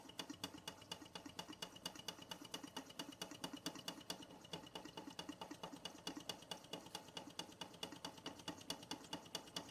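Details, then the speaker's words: Bing 10/110 poppet valve steam engine on its original spirit burner, first run in months: light, fast, fairly even ticking chuffs a couple per second with a thin metallic clatter, condensation cleared, dry steam only, under 1 bar; running normally. "And she's away now. That's it. We got rid of that condensation. Steam only now, and off she goes."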